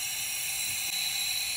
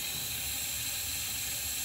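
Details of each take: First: 2005 Ford Super Duty 6.0L diesel, hot no-start with low ICP, high pressure oil system air test with shop air, engine off: steady loud hiss of air leaking past the IPR valve because the solenoid is not engaged, as expected. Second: 2005 Ford Super Duty 6.0L diesel, hot no-start with low ICP (P2291): shop air fed through ICP sensor port adapter, steady sharp hiss of escaping air; high pressure oil system leak, usually at the high pressure pump fitting.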